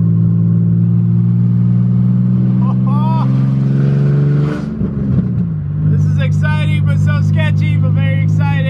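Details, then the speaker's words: Budget Nissan 350Z drift car on its first drive, open headers with no test pipes: very loud raw exhaust blat swelling with throttle, crackling and backfiring on overrun. "it is so loud oh man this is wild driving my Z for the first time oh my God it's so scary oh it backfires so [Music] much"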